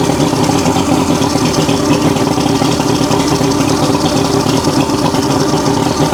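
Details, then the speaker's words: Circa-1980s 40-year-old Mercury 150HP Black Max V6 two-stroke outboard after repair work (fuel pump suspected bleeding into block): full, even buzz holding steady without stumbles or popping; sounds a lot better, running smoothly. "That sounds a lot better."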